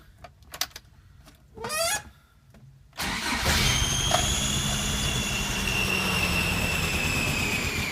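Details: Toyota 22R engine after start: thin high whistle rides steadily over rough idle, drifting slightly lower; owner suspects EGR or vacuum leak and fears a bent valve; origin unconfirmed.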